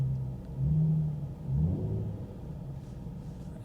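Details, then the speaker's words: Mercedes S550 salvage auction car with 49,000 miles, light throttle blip: smooth low rumble swells evenly and settles back cleanly, engine sounds healthy despite the car being salvaged, likely for hail damage. "engine sounds good it i don't know what's wrong with it"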